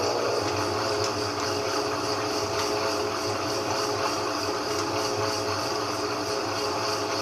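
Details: GE 15 kg washing machine after repair for the drum knocking against the sides; steady, even churning and water swish with no knocking or banging: normal running.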